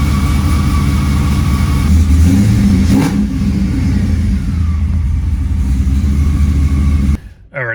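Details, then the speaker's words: Camaro not yet tuned, started with its new pump just fitted and methanol-injection controller wiring in progress: strong start into a steady, throaty idle with a brief rev that settles cleanly; runs fine with no misfire or stumble. "All right, so with the gas pedal taken care of, I think I'm just going to start it up and make sure it runs with that new pump."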